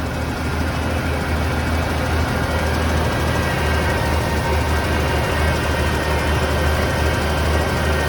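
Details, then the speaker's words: 1980 Ford F100 V8 that sat outside for 20 years, first start after mystery oil in the cylinders: deep, even burble at idle with no misses or knocks while the oil burns off; a healthy, smooth idle. "the mystery oil is burning out of the cylinders that's fine it sounds really good i mean i'm shocked how good it sounds absolutely sounds amazing"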